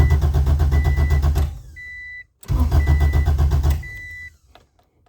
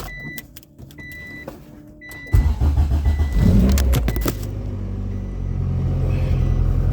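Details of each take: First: Acura Integra (DA) after a JDi main fuel pump relay and kill switch install: steady starter cranking about four beats a second with no catch, twice, then the chime; the kill switch was flipped, so the fuel pump is cut and it cranks without starting. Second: Honda DA Integra after installing a plug-and-play JDi main fuel pump relay kit with kill switch; door chime, brief crank, catches cleanly and settles into a smooth, steady idle with no misses; normal start and idle.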